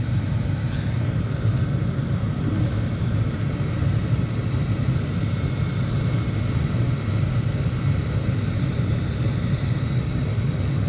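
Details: 1989-built Carrier furnace, about 30 years old, after no-heat call with flashing 1-3 code, safeties closed: blower turns on with a steady even low rumble, no knocks, rattles or squeals; running smoothly.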